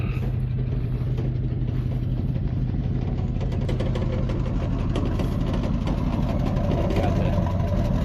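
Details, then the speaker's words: 1990 Ford F250 V8 idling with a shaky exhaust and an uneven tinny rattle over a deep, loud idle; sounds terrible mainly because the two EGR pipes into the catalytic converter are cut; loose exhaust rattle. "Sounds terrible, but biggest reason it sounds terrible right now, reason number one, is the two EGR pipes that go into the catalytic converter are both cut."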